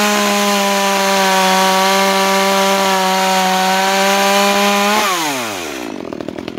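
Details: New Makita EA3200S chainsaw during break-in, cutting: steady high buzz holds even revs through the cut, then winds down smoothly near five seconds; clean, healthy running.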